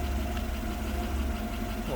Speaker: last time maybe i just had to suck fuel injector and i realized this is running really nice right now